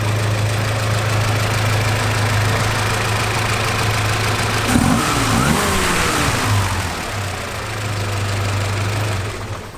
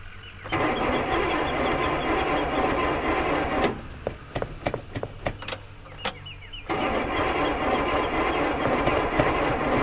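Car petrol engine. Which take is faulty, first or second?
second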